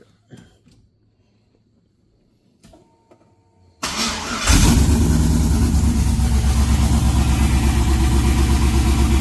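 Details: LS-swapped (4.8/5.3) 1990 or 1995 Chevy OBS truck: quiet clicks, the starter cranks and it catches into a steady, even low V8 rumble at idle with no miss; normal idle.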